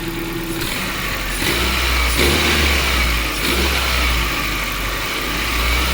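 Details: Car with hard starting and no fault codes, fuel pressure checked with a gauge: engine catches and settles into a steady run with a couple of rev rises; runs fine once started, hard-start cause unclear.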